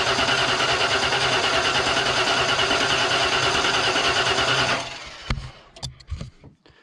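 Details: 1992 Ford F150 XLT, 302 V8, E40D automatic: the starter spins the engine quickly and evenly for nearly five seconds without firing. Spark is confirmed at the plug via tester, so the ignition module works. Cranking, no start.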